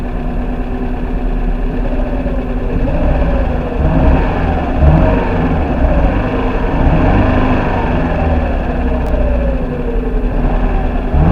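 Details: First-generation NA Mazda Miata 1.8 running after its fuel pump was replaced: an even four-cylinder idle with smooth rises and falls in pitch as it's revved, running cleanly with no misses or stumbles. Normal idle and revving.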